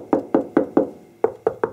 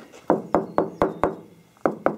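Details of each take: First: 1973 Porsche 914 with bondo spots, hand tapping the fender: seven sharp, bright knocks ringing clean and solid; some filler may be there but the fender sounds solid metal. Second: 1973 Porsche 914 body panel near the door, tapped by knuckle during trim removal: rings like solid metal except one spot that thuds dully over thick built-up body filler (bondo).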